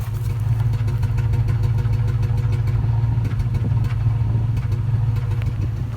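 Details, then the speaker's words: 2004 Toyota Tundra at idle after water pump and timing belt replacement: even, deep exhaust burble with a steady beat and no dips, rumbles or vibrations; the earlier low idle is gone and it runs smoothly. "now this thing is running smooth and quiet listen to this no rumbles no vibrations you could barely hear this thing is on when you're inside the cab now"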